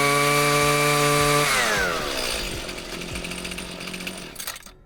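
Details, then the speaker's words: Husqvarna weed eater the customer could never get cranked: high steady buzz at full throttle drops smoothly to an even low idle before cutting off; now starts and runs normally. "So I got it to start."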